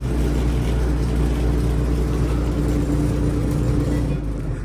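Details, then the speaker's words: Electrolux dryer (model EEMG617STTO) running with a loud, steady low rumble and vibration; the blower wheel is packed with lint and unbalanced, and the fix is to open the dryer and clean or remove the blower wheel. "this is a loud vibration. If you ever get this kind of noise on these dryers, the only thing you want to do is open your dryer apart. There's a blower wheel right here, and it's filled with a lot of lint."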